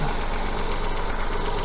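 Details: Petrol engine with coil-on-plug ignition, at idle while the coil primary signal is being probed through a 20:1 attenuator. Low, even idle with a steady throb and no misses or knocks. Normal idle.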